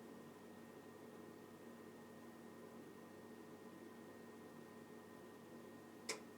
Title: My new Vaillant EcoTec Plus 824 makes a loud clicking sound.